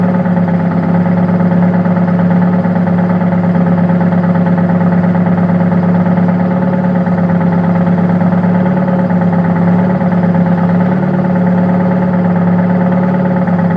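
Steady low idle drone with an uneven, stumbling beat about three times a second. Points to a cylinder dropping out at idle.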